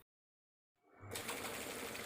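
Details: Kent RO water purifier booster pump just refitted with its screws tightened to fix a water leak: after silence, a steady, fast even buzzing hum with no knocking or sputtering; normal booster pump operation, leak stopped.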